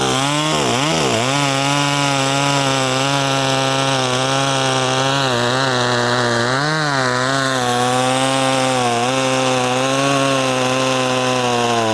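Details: Poulan 2500 Farmhand (same as the 2900), chain swapped from 3/8 low profile to .325, started on choke after sitting a couple hours, cutting wood: strong even high snarl dips briefly as the chain bites and recovers cleanly. Normal running under load.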